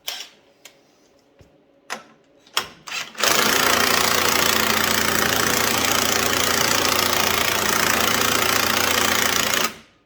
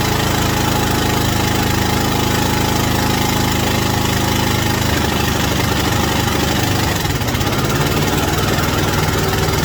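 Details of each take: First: White Outdoor LT542G riding mower that ran rough, used too much gas and put fuel in the oil; after a few pulls it fires into a loud, uneven stumbling run, fuel starvation from a missing carburetor main jet. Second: White Outdoor LT542G riding mower twin after reinstalling the missing carburetor main jet and checking the anti-backfire solenoid and O-rings: a fairly steady low throb with rain patter behind it and no stumbling or backfire. Normal, healthy idle.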